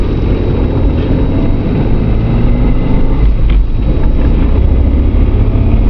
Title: Loud noise from tranny area again.